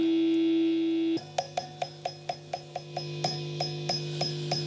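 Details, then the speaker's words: Fender Vibro-King guitar amp, turned up loud: tapping the fourth preamp tube gives a ringing ping about twice a second over a quiet hum. That tube is microphonic and picks up signal from the reverb/effects return jack. "okay so this is coming in so this tube's quit R microphonic and that's picking up the signal from the return Jack"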